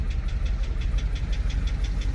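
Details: 2006 GMC Sierra 2500HD, junkyard-bound, running slightly better: sharp regular tapping about five times a second over a low idle rumble; persistent engine knock, cause unknown, crank sensor replacement planned.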